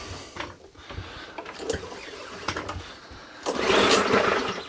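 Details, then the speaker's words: Non-running Mountfield 414/416 mower from the tip, pull-started on carb spray with dead man's handle off: ragged pops then a brief rough burst that dies; fires but won't run right, owner suspects gummed-up carburettor needing a clean. "that fired it is firing it's not quite firing right what i'm going to do i'm going to do a carburetor clean on this"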